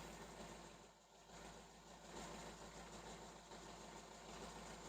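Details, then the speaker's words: Hyundai 30L-7M forklift with a GM 3.0L engine (GCP system, DEPR mega injector), after the DEPR power-loss communication fault was addressed. No active fault; a steady, quiet, even idle that shakes much less. Normal idle. "a good indication though is that we don't have an active Vault anymore and it is running much smoother than it was before as you can see doesn't shake as much anymore"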